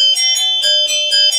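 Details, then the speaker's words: 1972 Williams Super Star pinball chime box, plugged back in after rebuilding: clear bright bell tones strike about four times in quick succession and ring out cleanly; chimes working normally. "you plug it back in and you get on chimes again"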